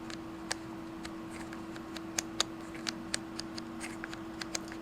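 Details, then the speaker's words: Multimeter rotary switch after a 50,000-cycle life test, turned by hand: scattered soft, uneven ticks with no firm snap between positions; the cam nubs are worn off so the detent spring barely holds, and metallic dust was found inside. "meter used to have a very nice click to it as well. What's happened is it wore all the cam nubs off. So now the detent spring is basically worthless."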